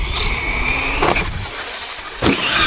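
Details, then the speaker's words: Traxxas X-Maxx 8S with heavier Proline Brute body, Sledgehammer tires and 20/46 gearing: high motor whine at full throttle broken by sharp rattling as the pinion skips on the spur; mesh has opened up, pinion later spat off motor shaft. "hen you give it full power so it sounds like the mesh has come slightly away for whatever reason and um if I if I was to give it full power now there wouldn't be enough mesh for it to kind of correctly sink in"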